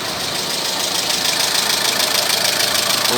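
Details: Renault Megane 3 petrol K4M engine at idle: a fast, light clatter of about three knocks a second over the engine hiss, from the cam phaser knocking with play; phaser to be dismantled.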